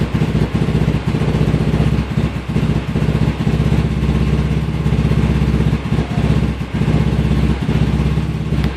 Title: Rough idle